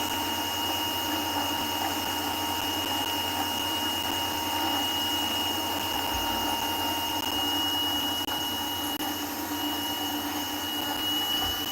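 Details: RC rock crawler (Injora Capra cage build) with brushed motor: steady high motor whine with light uneven chatter from the motor side, a loose idler wheel bushing; owner considers a brushless upgrade.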